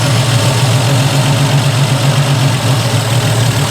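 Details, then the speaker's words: Triumph TR250 warm at operating temperature on stock Zenith Stromberg carburettors, air valve lifted with screwdriver for the mixture test: low, uneven idle beat that stumbles and wants to stall; mixture too weak. "again stumble wants to stall mixtures are too weak so we're going to enriching it up back one turn and then we'll check again"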